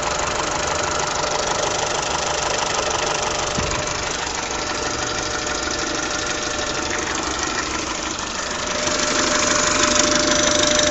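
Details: Peugeot/Citroën TU5JP4 petrol engine at idle: steady light ticking knock, about three per second, over the running noise; cause not evident.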